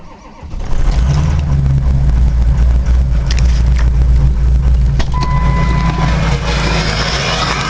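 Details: Ford 6.0 Powerstroke diesel cold start without block heater, after waiting for fuel pump prime and glow plug cycle: quick catch then heavy, even diesel clatter settling to steady idle, atomized fuel smoke normal; clean cold start.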